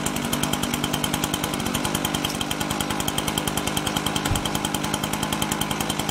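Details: Husqvarna 125BT backpack blower two-stroke, spark plug wet, running after restart: irregular pulsing beat and uneven firing, bogging; mostly runs but spits, leaking somewhere, cause not pinned down; running rough.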